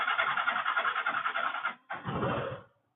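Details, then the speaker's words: FZ motorcycle with a Pulsar choke knob fitted to the carburettor, full choke applied at idle: lumpy idle pulsing about three times a second, a brief catch, then the engine dies; full choke stalls it rather than raising revs. "బండి ఆగిపోతుంది. మనకి ఏదో ఒక complaint వస్తుంది. చోకిస్తే బండి ఆగిపోవడమా, చోకిస్తే బండి raise అవడమా."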